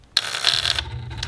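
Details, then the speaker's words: Ascot motorcycle won't start, headlight dead: short weak buzzing chatter with no cranking, battery too flat to turn starter; starts once portable battery pack connected, so the battery had died. "i'm actually charging the battery because it won't start and you hear that noise"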